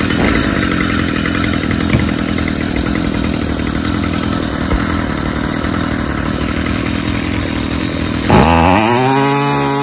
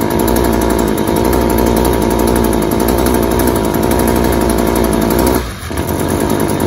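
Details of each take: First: Stihl FS 55 two-stroke trimmer after removing the oil-soaked, clogged air filter: a steady buzz that rises sharply and cleanly on throttle, though it still smokes heavily from an oil-rich fuel mix. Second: String trimmer at wide-open throttle with clogged spark arrestor screen: rough uneven buzz that sags and dies, running way too rich and smothering with smoke; hard to start; runs well once the screen is reinstalled.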